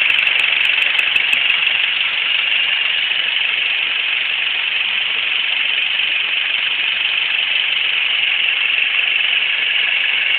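Light, fairly even ticking about three times a second over a quiet idle; an engine tick whose source can't be pinned down by ear.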